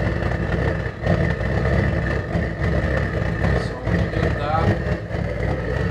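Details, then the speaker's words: DIY gravity-drip waste-oil burner deliberately overfed with engine and hydraulic oil: a rough, chugging roar with uneven low puffs, backfiring. Cited causes are too much oil, not enough draft or not enough air holes. "so reasons for backfire like that too much oil or not enough of a draft or not enough air holds that's never a good thing"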